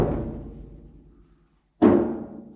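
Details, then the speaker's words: 1973 Datsun 240Z door, stripped of internals, before Kilmat sound deadening mat is applied: two hollow knocks ring on about a second, echoing and tinny; resonant door panel without sound deadening. "It's got a foil on one side, but listen to this door. You hear it kind of echoing?"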